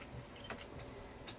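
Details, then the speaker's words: Gas/electric fridge in an Iveco-chassis camper, set to gas: a few sharp, dry, unevenly spaced ticks as the piezo igniter sparks to light the gas burner, working normally. "вот сейчас написано газ там было слышно щелчки такие цок-цок ццк это пьеза пытается зажечь газ"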